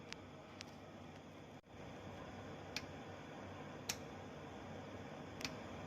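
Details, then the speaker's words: Car AC compressor magnetic clutch, engine off, AC switch cycled repeatedly: sharp single clicks about a second apart with no pull-in hum and no drive plate movement; magnetic coil or drive plate suspected. "a click sound but i don't see any movement from the drive plate and i suspect this magnetic or the drive plate is a problem"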